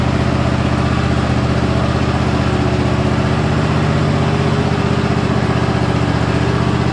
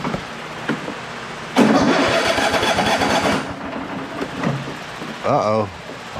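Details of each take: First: Cub Cadet riding lawnmower after full tune-up with oil change, new fuel filter and new sharp blades, started with choke: smooth, constant single-cylinder drone at steady speed with no surging or misfires; engine runs healthy. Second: Cub Cadet riding lawnmower after a full tune-up (oil change, fuel filter, new blades), in a hot building: cold engine starter whirrs about two seconds with no catch, then a brief second try; won't start until choked.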